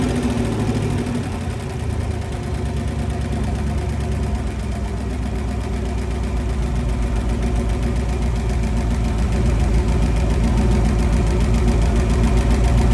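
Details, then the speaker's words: 1966 Dodge Coronet wagon, poly 318 V8 with 727 transmission, run briefly on fuel poured into carb, no coolant: rough lumpy idle with a light regular tick, three to four per second; owner suspects lifter tick on one bank. "got a little bit of a lifter tick on the other side it sounds like"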